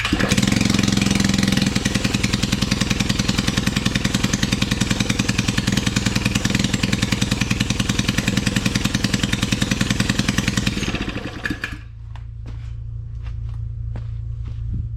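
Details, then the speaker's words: Suzuki ATV with open exhaust pipe, no muffler, in cold weather: loud single-cylinder thumping steadily at idle, never picking up revs, then dropping to a low rumble; not enough throttle throw, restricted throttle. "okay I don't have enough throttle throw on this thing that's something that's an issue"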